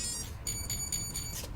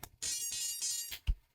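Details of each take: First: Furitek Lizard Lite ESC (CR18P Rushmore/T-Hunter/Venture18) powered on with full throttle held: four short high beeps signalling entry into throttle calibration mode. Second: Furitek Lizard Lite ESC in a CR18P RC crawler, powered up with program card plugged in: short run of bright electronic chirps from the motor, then a low blip; speed controller arming normally.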